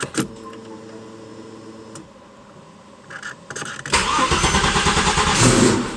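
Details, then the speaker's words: Porsche Boxster turbo engine in an Audi S4, cold start after ECU tuning changes: short crank catches cleanly, revs flare up and drop quickly to target instead of hanging as before; normal cold start. "So in terms of cold start, it's really good. So the revs will raise up and then drop down nice and quickly. Before they'd sort of hang and they weren't following the targets I'd set. So this is a cold start now."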